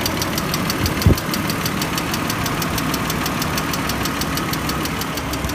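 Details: BMW E39 idling; light, crisp ticking about three to four times a second over a steady idle, top-end tick of unknown origin, newly noticed by owner; engine ticking.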